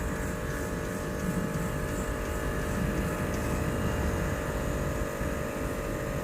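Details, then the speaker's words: 2008 Range Rover Sport after repairing lost-communication faults (U0159, U0127) that disabled air ride: steady, even electric hum under low rumble as compressor raises vehicle to off-road height, no rattles or strain; air suspension compressor working normally. "so if we go up you'll see now it says raising vehicle it says suspension off-road height closed door to change height so we'll close the door and there it goes look at that so everything's working now"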